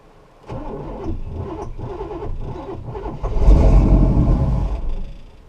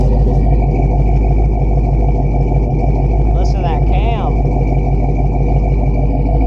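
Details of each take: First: 1969 Buick Special Deluxe with a stalling problem, right after turning the distributor to adjust timing: starts, then runs lumpy and uneven with an irregular beat, stumbling as it revs; rough running. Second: 1969 Buick Special Deluxe after a carburetor cleaning and rebuild, timing set, idle mixture adjusted, new fuel filter and vacuum lines plugged. Deep, steady idle around 700 rpm with a loping cam chop; otherwise smooth.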